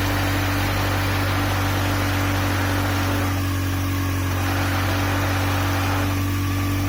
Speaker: And the terrible clacking noise that sounded like a diesel was. Throw-it bearing. Only the throw-it bearing, I think.